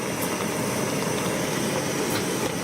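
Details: Primus Classic Trail Stove (model 2243) at full output with a pot at a roaring boil: loud, even, rushing burner roar with no sputter or pulsing, flame running steadily; normal operation.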